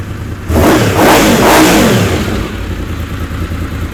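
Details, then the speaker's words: Honda VFR750 carburetted, no load, carbs now filled: throttle blip rises and falls to steady idle with slight hesitation on initial crack; suspected low-speed circuit needing adjustment or change, matching lean light-throttle flat spot. "when you just crack the throttle if it just gets a little bit you know doesn't want to go like that and uh that's typical for something on the low side that needs to be either adjusted or changed"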